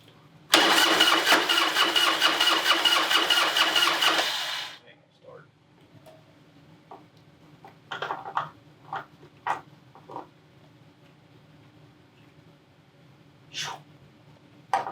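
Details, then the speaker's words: Harley-Davidson Heritage Softail (about 1996–97) with an Evo engine, sitting for years: the starter churns steadily at about four pulses a second for four seconds, then quits without firing; cranks, no start, old gas suspected, fuel to be drained and carb pulled. "yeah that gas is old so i guess first order businesses we'll go ahead and uh take the fuel line off the petcock and drain all the old gas that's out of it"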